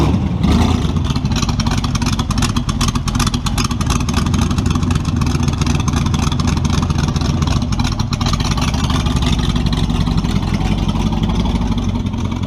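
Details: Model A with a 350 small-block Chevy (hydraulic roller cam, 9:1), tunnel ram with two Edelbrock 600 cfm carbs jetted lean, in a driveway test: loud V8 goes flat and stumbles when the throttle opens wide; owner unsure if rich or lean.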